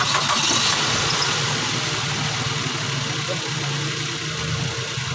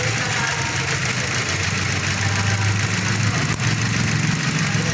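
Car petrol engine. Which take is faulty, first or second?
second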